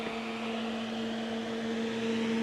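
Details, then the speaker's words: Crest Audio V900 PA amplifier on 240 V, otherwise working: steady loud rush of air over constant low hum, no pitch change, very loud cooling fan running. "God, that fan is loud. But I'm sure it'll keep things cool."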